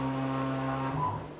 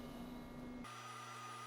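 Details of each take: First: DIY CNC mill with stepper motors, probing a part at low speed: steady low buzzing hum with a ringing tone shifting as motion slows; step overshoot ringing amplified at certain RPMs vibrates motors and whole mill. Replaced with servo motors. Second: DMM AC servo motors homing the axes of a DIY CNC mill under LinuxCNC: after a brief rush, a steady clean whine at an even pitch with no grinding or knocking. Everything operating as it should; normal homing.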